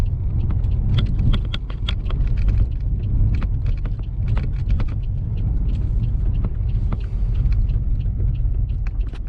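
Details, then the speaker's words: 2005 Pontiac Grand Prix GXP, 5.3 LS4, idling before reflashing the tune, no check-engine light or codes: deep uneven idle rumble, irregular ticks and lumpy pulses, engine very shaky; rough running, misfire suspected, owner feels only a couple of cylinders fire. "yeah the engine is very shaky so let's turn this thing and see if we have any result"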